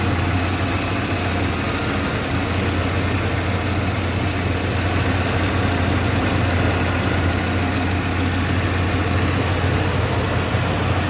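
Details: 1995 Ford F-150 5.0 V8 idling: light regular tick, about three to four per second, over a steady low rumble, seeming to come from the driver's side of the engine; source not yet identified.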